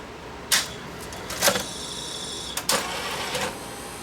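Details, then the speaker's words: Sony VO-5800 U-matic VTR that won't load or eject tapes: sharp clunks and short motor whirs that stop before the eject cycle finishes; cassette load mechanism sticking, probably the loading belt (suspected). "It sticks. It's probably the loading belt and"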